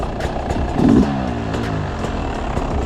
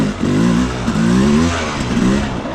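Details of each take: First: Beta 300 two-stroke with Smart Carb SC2, cold start at about 5°C, not yet warmed up: uneven crackling idle, each throttle blip hesitates and hangs before picking up revs; off-idle bog from lean mixture. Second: Beta 300 two-stroke with Smart Carb SC2, set to 14 and idle screw turned half a turn: revs blip up and fall back cleanly on each throttle stab with no stumble, the earlier bog nearly gone; clean throttle response.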